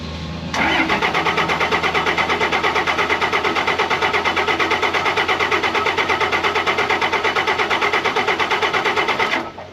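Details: 2005 Ram 5.9 Cummins diesel, unrun for a couple of years, after replacing FASS lift pump filters; even cranking near three compression beats a second for nine seconds, never firing, fuel starvation as the lift pump isn't pumping or keeping up.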